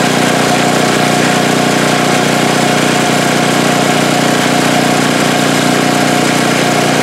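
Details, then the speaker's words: Snow blower small petrol engine after replacing the carburetor needle and seat (swollen seat had starved fuel): steady, even smooth running with no more surging or stalling. "well there you have it that sure sounds a lot better no more surging struggling and acting like there was no gas stalling out that's running really smooth"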